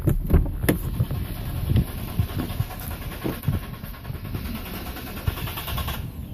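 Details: 2011 Dodge Durango cranks for several seconds with low, uneven chugging but never catches; it sometimes starts and runs rough as if fuel-starved and has died on the highway. Owner suspects the TIPM, unconfirmed.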